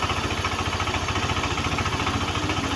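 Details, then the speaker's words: Yamaha NMAX version 1 that wouldn't start and reportedly stalls, started after troubleshooting, watched for stalling: quick, even putter at idle holding steady without dipping or dying; idles normally so far. "so Ayan umaandar na siya titingnan natin Kung mamamatay nga siya kasi ang sabi namamatay nga da Ong motor na to pagka yung nanak na siya"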